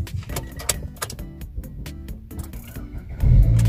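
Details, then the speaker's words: Car jump-started from a power bank (3 to 5 bars charge) via its start button: a few clicks, then engine catches on first crank and settles to a steady low hum; normal one-click start. "Di ba po, nag-start? One click po siya, di ba?"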